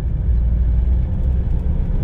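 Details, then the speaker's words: Toyota Hilux 2.5 at 80 km/h with a deep, steady rumble in the cab like a worn bearing under load. The truck also vibrates at 50 km/h. A bearing is suspected but not confirmed. "eu vou mostrar para vocês o barulho de rolamento que fica nessa caminhonete a 80 por hora"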